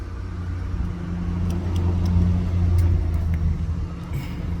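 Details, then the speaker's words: 2014 VW Jetta after new fuel pump and fuel tank vapor valve replacement, first start with a fuel line still too short and needing replacement: engine catches and settles into a steady, even low idle with no misses, knocks or ticks. Normal idle. "happens all right it's running when I got to fix that fuel line next"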